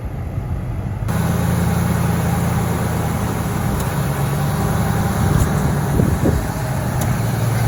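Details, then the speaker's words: 1998 Ford F-150 (gasoline) idling with A/C on during recharge: engine load steps as the compressor clutch engages, then it kicks back off; compressor short cycling because refrigerant is low. "The compressor is actually kicking on because it's not completely out. So as it builds pressure, the compressor will kick on and draw it back down, and then it kicks back off because it doesn't have enough in it."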